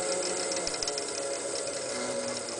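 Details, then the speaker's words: Removed 30-year-old distributor from a 1993 Chevy C1500 5.7L TBI V8, spun on a drill press with its pickup coil connected to an oscilloscope. Light, even ticking with a faint steady whine comes from the coil, magnetic posts and distributor design; it sounds normal. "that's just the power from the coil and the Magnetic posts and the way the distributor is built"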